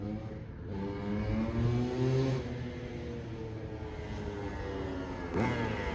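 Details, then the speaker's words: 2003 Honda CR250R two-stroke, sat about two years with the carb cleaned, is test-ridden before a trike conversion. Crisp revs climb and fall cleanly without bogging or misfire; the engine sounds healthy and rips. "Sounds good, dude. Sounds good. Thing rips. For 250, these things make an excellent trike."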